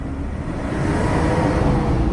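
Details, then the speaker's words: BMW E46 wagon at idle after an intake flap problem was sorted. A loud, even, airy whoosh sounds like a fan rather than motor noise over the engine hum; cause unconfirmed. "not just like motor noise it sounds like a fan you know"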